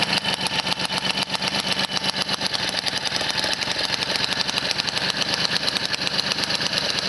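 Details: 1978 Motobécane 51 VS moped, engine seized after thirty years idle, fully rebuilt with new rings, bearings, oil seals, clutch, points and condenser, started on first pedal; crisp even two-stroke popping at quick steady beat with bright rattly edge, normal running.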